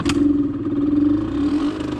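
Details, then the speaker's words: Suzuki SMX 50 two-stroke after engine rebuild (connecting rod bearing), first start before break-in, after sitting several days: fires and holds a buzzy, steady high idle on choke, smoking as expected, no misses or rattles; normal cold start. "tak wymagało dać trochę Scania dymi bardzo fajnie że dymi bo ma dymić"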